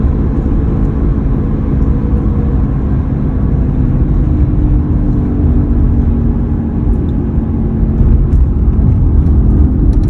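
A steady low hum rides under the road and engine noise while cruising, holding fairly even throughout; the source isn't pinned down.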